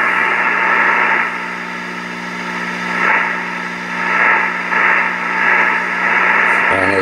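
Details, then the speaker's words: Swan Cygnet 270B 10–18 meter transceiver after cleaning and relocating the tuning-capacitor grounds to cure oscillation; receiver now gives steady hiss and faint tones with no more scratching or popping. "we definitely have a big people receiver and no more that scratchin and popping"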